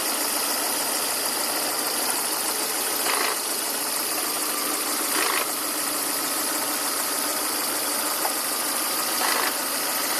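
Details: Volvo S40/V40 1.8 122 hp, 2000: steady hissy rasp over a quiet idle with faint swells every few seconds; rasping noise at idle, source not pinned down.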